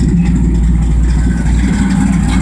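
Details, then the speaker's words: 1965 Ford Galaxie 289 V8, Holley carb, pump with homemade return line, warming from cold, fuel pressure holding 7 psi: steady even low idle rumble, no pump whine now; runs healthy. "but yeah you don't hear the pump now and it's bleeding off into the carburetor as well so it's really not putting a lot of strain on that [Music] pump"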